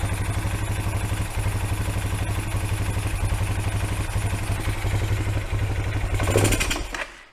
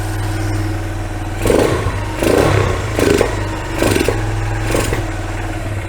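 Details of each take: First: Kawasaki Bayou 220 four-wheeler, carburettor fed through a temporary fuel line with choke on: single-cylinder thumps sag, surge briefly and die away; apparently running out of fuel. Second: Kawasaki Bayou 220 ATV, abandoned non-runner, fuel poured down temporary vinyl fuel line; single-cylinder thump starts on choke, holds steady low idle with brief surges as choke is backed off; runs smoothly until fuel runs out.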